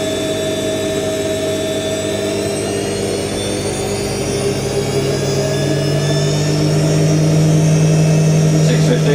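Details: New IKEA RENLIG IWM60 integrated washer on its first wash, Cottons 60°C with SuperQuick and a load of darks, first intermediate spin, believed to be 850 rpm: steady hum climbing in pitch as the drum speeds up, with a faint rough undertone.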